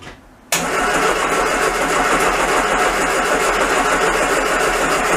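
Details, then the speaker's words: Classic Mini van engine, first start-up after restoration: steady cranking about three and a half beats a second with no firing; no spark because the ignition coil has an intermittent fault, first suspected as fuel. "turns out that the coil has got an intermittent fault on it"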